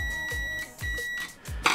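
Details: Nivona NICR 788 coffee machine with intermittent error 8 (brew unit/gearbox drive), microswitch continuity test with a meter, switch pressed with a screwdriver; two clean steady high beeps, microswitch closes normally.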